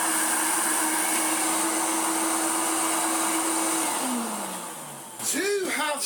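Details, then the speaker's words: Hoover Turbomaster Electronic vacuum after new belts and re-bending the belt-shifter bracket; steady belt-driven motor whine winds smoothly down as the brush roll switches off, then handling clatter; brush control working again, normal. "solved the problem our turbo master now has brush control again"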